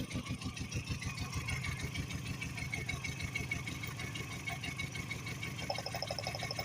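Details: Idle lopes with a regular uneven pulse, one cylinder dead; coil shown firing, lifting it off the plug changes nothing, so owner suspects that cylinder's spark plug; misfire at idle.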